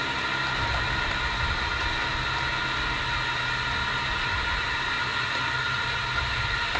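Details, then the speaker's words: LSR UV packer inflating for a 6-inch pipe point repair, with a steady loud rush of air and a low rumble. Tape banging as it unrolls signals full placement. Normal packer inflation. "then after a minute, minute and a half, when it's unrolled, sometimes you'll actually hear the tape banging in from the pipe when it snaps, and you can hear the boom, boom, boom as this tape unrolls."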